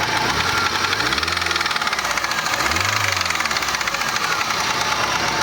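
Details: Chevrolet Niva: fast even tick about ten a second over the idle from the cylinder head, traced to a worn, loose rocker arm, cured by fitting a new rocker; camshaft possibly also worn; valvetrain tick.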